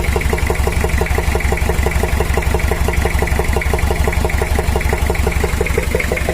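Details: Toyota Kijang diesel 2L burning heavy oil, before overhaul; steady idle with even sharp ticking knock about three a second over the clatter, blamed on worn camshaft and valve clearance (valves too tight suspected), plus worn liners.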